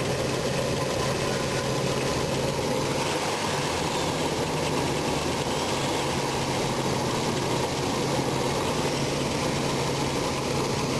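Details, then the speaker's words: RV engine after distributor replacement: steady but rough, shaky idle with dull uneven hum, sounding ready to stall; ignition timing incorrect after the swap, rotating distributor changes shaking. "anyways got it started it sounds like it's about ready to conk out again crazy"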